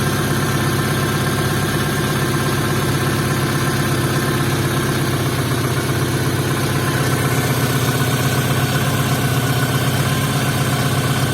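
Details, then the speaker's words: Opel C20XE in a Moskvich after cleaning the hydraulic lifters, frosty-morning cold start with a weak battery: lifters tapped a couple of seconds as usual, then went quiet. Smooth, even idle with no top-end ticking. "принципе все видели метрики постучали как обычно на холодную там пару секунд и все затихло"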